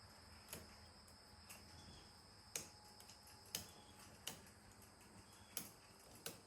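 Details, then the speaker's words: Schwinn 21-speed bicycle left outdoors since 2017, chain being oiled while pedalled by hand: light irregular ticks every second or two as stiff links snap round the sprocket; the links are stiff but flexible enough not to jump. "there's a length that's kind of stiff another length that's kind of still another"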